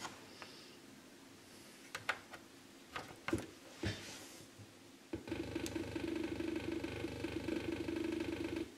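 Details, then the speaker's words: Atari 800 XL revived after a 5V-GND short on the mainboard, likely from a botched memory upgrade, fixed by replacing all RAM chips: a few clicks, then a steady buzzy tone until switch-off, and READY appears; normal boot after repair. "klingt gut und wir kriegen hier ein ready das heißt das wars"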